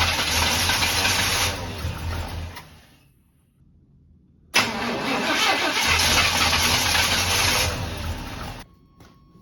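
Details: Abandoned barn-find square-body Chevy truck at about zero degrees, fuel pump pumping and carburetor being primed, old filter possibly blocked: starter spins the engine in two long steady bursts with a pause, never fires; cranks, no start.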